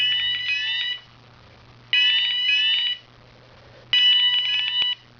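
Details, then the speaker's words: Advanced MX4100 fire panel put into alarm via cause-and-effect function 2 (shed): piezo sounder pulsing about one second on, one off, with a crackly edge on its shrill tone; owner suspects the piezo coming loose. "not quite sure why that's cracking. Maybe the piezo is coming loose or something."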